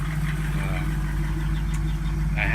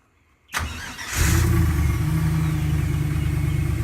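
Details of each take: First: 1987 Jeep YJ Wrangler with LSx V8 swap and a stock-Tahoe-type muffler: deep, steady V8 idle with a faint loose rattle riding on the exhaust note; exhaust rattle at idle. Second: 1987 Jeep YJ Wrangler with an LSx V8 swap, cold start: cranks and settles into a steady, deep, even V8 idle through a stock Tahoe-type muffler with no misses. Some exhaust rattle is noted.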